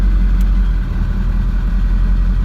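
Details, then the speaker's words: 2002 Ford F350, 7.3 Powerstroke diesel, TS Performance 6-position chip set to the 140 hp tune; steady low diesel rumble at idle, even and unbroken with no misses or knocks; normal idle on this tune. "So right now it's on the 140 tune, right? And that's the idle speed."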